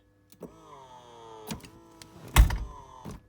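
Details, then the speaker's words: Ferrari F355 Spider electric convertible roof closing: short steady hydraulic pump whine, then firm clunks as the secondary hydraulic rams push the last roof section into place; normal operation, no strain. "we got that last bit of the roof to close you see they push into place and they close it"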